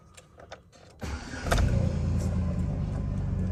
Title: Nearly dead battery. Very rough idle. Silverado cranking.